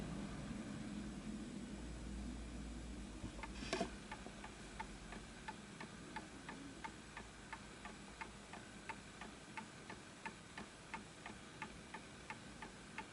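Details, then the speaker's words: Antique Enfield Westminster-chime mantle clock, fully wound, after nudging the pendulum: even ticking about ninety per minute with steady spacing; almost perfect, running close to in beat. "So as you can hear, it's almost perfect."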